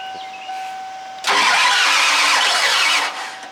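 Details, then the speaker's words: Ford F250 diesel with new starter, weak batteries and charger: faint whine then about two seconds of hard cranking that nearly catches and falls away; cranks but won't start. "that's just close she's trying she's close"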